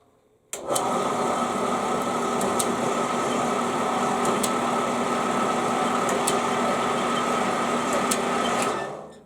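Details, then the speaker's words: Band saw running with a home-brazed blade whose scarf joint overlapped too far, leaving the blade offset: steady motor hum with a sharp click about every two seconds as the joint passes the guide rollers. "hear the click click as it goes through these guide rollers this is at least going to get me going and I can always go back break that joint and reset it with the new jig if it becomes a problem"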